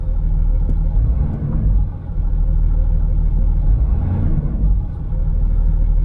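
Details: 2008 Land Rover Discovery 3 TDV6: a deep, steady diesel rumble at an even idle without hunting or surging, giving a realistic oil temperature reading, and the idle problem is fixed.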